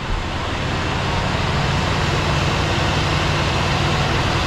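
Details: 1966 Ford Galaxie 500 352 4V V8, true cold start at about 47°F after sitting over three months, power steering belt off, warming up: a steady, even low rumble with no misses, knocks or ticks. Normal cold idle.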